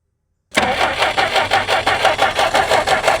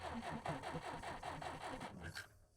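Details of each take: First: Jeep unrun for 25+ years, running on hand-fed fuel: it catches and runs a few seconds with an uneven, lumpy beat of about three pulses a second, then cuts out. Old varnished fuel is starving it. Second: Jeep sitting abandoned 25+ years, cranked in neutral with ignition off so the coil gets no power: starter spins about five even compression pulses a second with no scraping or binding; engine turns over freely.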